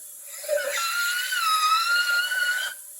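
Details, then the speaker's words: 1968 Firebird replacement engine, leak-down test on cylinder 6 at top dead center with 80 psi in and 30 shown: a steady high whistle of air escaping past the intake valve. The engine also has ring problems, and the head is to come off. "So intake valve is the major problem on that one. Golly. So we got valve problems and ring problems."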